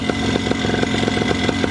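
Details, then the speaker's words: Paramotor two-stroke engine running: rapid irregular metallic rattle over the firing beat; owner unsure, suspects exhaust bouncing, has always rattled. "maybe it really is just the exhaust bouncing around that I hear because they do that"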